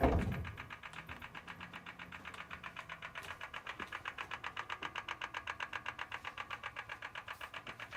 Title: M4 ticking noise